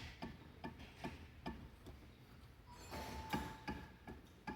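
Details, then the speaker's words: Removed shock absorber from a 2017–2018 Honda HR-V with 17,000 km, stroked by hand, gives sharp hollow clicks about 2.5 per second from excessive internal play, the source of strong suspension knocking while driving; the problem was resolved. "Aí fomos desmontar o amortecedor para analisar o amortecedor muito folgado. Olha só. Vê se vai dar para ouvir aqui o barulho do amortecedor."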